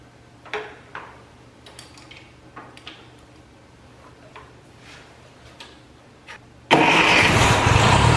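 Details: 1949 Ferguson TO-20, four-cylinder Continental Z120 (120 cu in, about 20 hp), sat 15-30 years, first run after cleaning goo from carburetor filter, no coolant: faint clicks, then loud coarse uneven running; owner suspects bad generator bearings.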